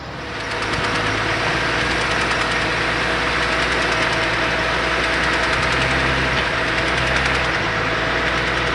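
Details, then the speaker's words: BMW X6 engine running with a steady rhythmic internal knock, roughly three per second, likely bottom-end; still knocking while being driven to get a replacement engine. "так что чип тесто через все таки она стучит"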